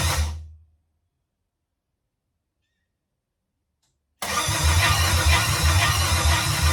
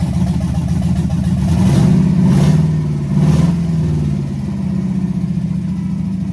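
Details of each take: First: Chevrolet C10 with LS swap, first start attempt after fuel tank and lines install, fuel pump primed: starter grinds over roughly, engine never catches; ECM unpowered due to blown fuse, crank no start. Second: Chevrolet C10 with LS swap, open headers, first start after rewiring with makeshift relay: loud rough V8 running steadily, slight rev swell midway, even firing, no knocks or misses; heat gun confirms all cylinders firing, normal.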